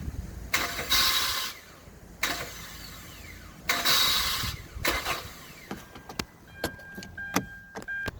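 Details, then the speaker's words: 2012 Hyundai Santa Fe GDI: repeated harsh high-pitched grinding bursts of about a second each when turning the key; starter drive (bendix) not meshing, plastic starter components failing. "if you have one that makes a weird noise when you try to start it like t"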